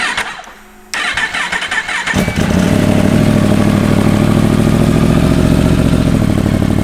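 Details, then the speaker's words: Newly built Yamaha R1 race bike, first start with no coolant fitted: silence, short crank, then catches and settles to a steady, even idle with no knocks; very smoky, thought to be residue burning off; healthy start. "foreign she's smoking very smoky I think that is just all the crap"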